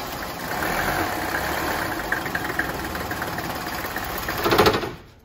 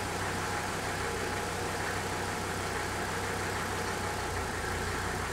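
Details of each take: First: 1985 Mercedes 300 turbo diesel wagon, five-cylinder, cold after sitting overnight, before repair: clatters into life, runs unevenly and shakes, then sags and dies; fine once warm or started hot; worn lift pump check valves. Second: 1985 Mercedes 300 turbo diesel wagon, cold start after sitting overnight, following lift pump rebuild to cure start-then-quit when cold: steady even diesel clatter, no stumble or surging, holds idle; believed fixed, pending a few days' driving.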